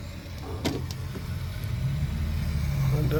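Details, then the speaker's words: 4th-gen turbo Firebird budget drag car build before first fire: fuel switched on, low steady electric hum of the fuel pump priming; owner hopes it isn't filling cylinders; fuel pressure then reads 40. "hear that fuel let just hope it ain't filling up cylinders"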